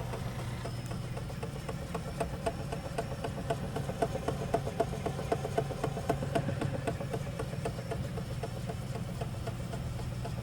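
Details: Eco Auto Smart machine after swapping stage 3 to a new pad and diluting the solution with a little water: steady hum with sharp metallic clank about four times a second, usually followed by code E390 and stopping; cause unclear.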